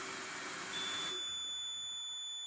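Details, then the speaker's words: AP Inspiration closed-circuit rebreather flushed with diluent, PO2 falling from 0.99 below the 0.7 low setpoint: the buzzer gives a steady high-pitched beep, then the solenoid injects oxygen and the beeping stops; the low-oxygen alarm works correctly. "And there's our low oxygen alert. And you can hear the beeping and then you can hear the solenoid injecting and you see the P2 values come back up again to back low set point which is 7."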